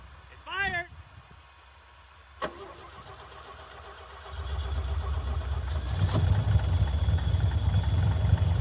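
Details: 1965 Chevy C50 grain truck abandoned for years, with a fuel pump installed; cranking catches at about four seconds and the engine settles into a steady, even low rumble and keeps running.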